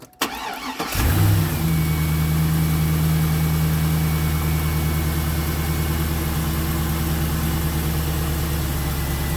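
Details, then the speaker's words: 2002 Pontiac Trans Am, first start after replacing the plastic power steering pulley and the pump and refitting the belt: cranks, catches at once, then settles to a smooth, steady low rumble with even firing and no ticks or squeals. Normal idle. "there you have it looks like it's running pretty smooth and hooked up"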